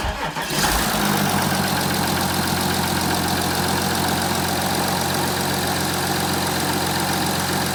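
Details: Audi A5 3.0 TDI (CKVC, 2015, 180 kW/245 PS) cold start after about 24 hours standing: brief crank, catches within a second, settles into steady, even diesel idle with no knocks or rattles; normal, stock-sounding start.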